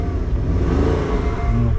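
A short, clean rev in neutral rises and is held back by the limiter, with no knocks or rattles; the engine sounds healthy.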